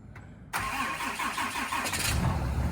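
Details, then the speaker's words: 2019 Ram 6.7L Cummins diesel, cold start at about -2°F with the grid heater: brief crank, catches quickly, settles to a steady even cold idle; some odd noises the owner wonders are power steering; a coolant-like dash indicator appeared; normal cold start. "not bad that's impressive some weird noises going on in here huh not sure what that is wonder if that's power steering"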